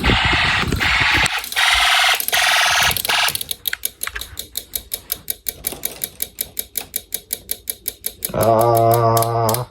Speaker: There you go. Now you can hear the relay. You can probably hear the relay from this side.